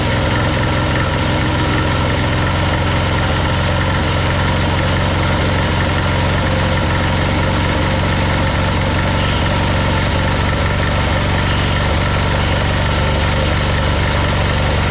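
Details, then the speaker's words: Old military Yanmar diesel portable air compressor, after a fuel-system overhaul and with new exhaust nuts refitted, after earlier stalling. A steady, even diesel chug with a firm low thump and no misses or knocks, and it is making air: running healthy. "she's going boy she's going yes sir yes sir woo [Music] it's definitely making some [Music] air"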